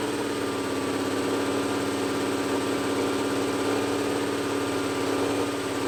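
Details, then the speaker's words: Old Cummins L10 diesel semi truck, stored roughly 23–30 years, first run on ether; flat fast drone pinned at 2500 rpm with no turbo whistle. Stuck high idle, owner suspects throttle cable or similar; turbo seized, not spinning. "now it's pegging out it's literally going 2500 rpm and just staying there so something is stuck throttle cable whatever"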